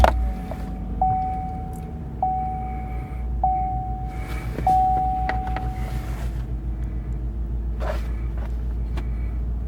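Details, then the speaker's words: Chevrolet Silverado V8 with a cylinder 6 misfire code, after reconnecting the loose number six plug wire: low, even idle with no missed beats or stumble. Runs smooth on all cylinders. "so I can't tell if it's running rough or not it feels really smooth"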